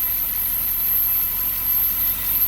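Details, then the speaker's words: Porsche Panamera S V8 after timing-chain kit repair, no check-engine light, RPM gauge steady, some items still unplugged; even low idle rumble with no misses, surges or knocks, no vibration; smooth idle. "listen to how smooth that is look at that not vibrating at all wow"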